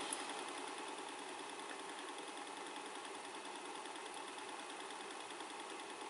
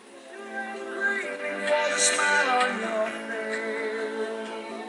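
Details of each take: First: 1980 Technics RS-M5 cassette deck after repair and restoration, mechanism reconnected to the main board for a test run, rewinding a freshly recorded tape: steady high hiss and whirr of fast, even spooling with no catching, dragging or squeal; rewind works perfectly, auto stop works. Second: 1980 Technics RS-M5 cassette deck after restoration, playing the stretched start of a cassette, worn from repeated rewinding: music pitch wavers and level swells and sags, distorted and fading in and out; stretched tape wow and flutter, not a deck fault.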